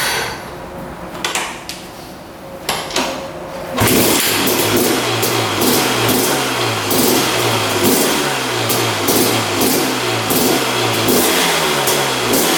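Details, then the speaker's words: 2001 Honda CR250 two-stroke dirt bike after draining old fuel and adding fresh 40:1 premix: brief cranking, then it fires into a crisp buzz with clean repeated throttle blips and no misses; running healthy. "Looks like it's working pretty good."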